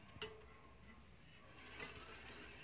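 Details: Bicycle with hydraulic disc brakes: a quiet, quick rhythmic scraping tick from the rear wheel while pedaling, louder than usual. The rear brake pad is worn again and rubbing the disc.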